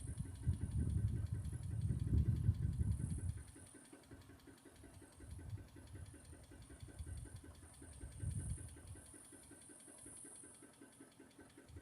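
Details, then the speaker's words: 2006 Dodge Magnum R/T, first start after years sitting in a scrapyard: low, quiet idle with a faint steady tick about three times a second; unidentified engine noise, cause unknown. "seems to be running okay. There is a little noise up in the engine. I'm not sure what that is."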